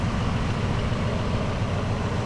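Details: 1979 Jeep Cherokee Chief S Wide Track revived after long storage, driving: deep even V8 rumble with steady firing beat, no knocks or misses; engine healthy, though the transmission is noted as noisy.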